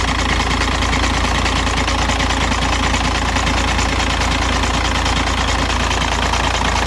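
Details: 2006 VW Jetta TDI 1.9L with 215,000 km, cold start: loud idle with a rough, irregular knock about once a second from the bottom of the engine. It goes away after 5 min idling; the oil pump looked fine. Cause unknown.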